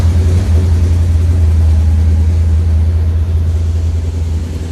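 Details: 1953 Ford F250 with 6-volt system, newly fitted 12-volt fuel pump run through a key-switched DC-to-DC converter: fires up and settles into a deep, steady, even idle with no misses or knocks.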